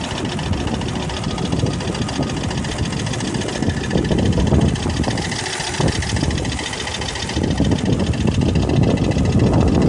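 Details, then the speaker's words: 1996 Volvo 850R automatic, 214,xxx miles, owner concerned about overboost and dipstick smoke, at idle standing still with steady rpm: faint quick light clicking about four a second over the engine note, newly appeared; source not pinned down. "that clicking noise is new but it wasn't doing that a second ago yep that's that"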